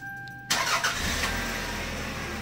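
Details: 1998 Toyota Camry after a new fuel pump harness and plug were fitted, with the voltmeter on the pump positive side: a quick crank catches at once and settles to a smooth, steady idle with no stumble; healthy start.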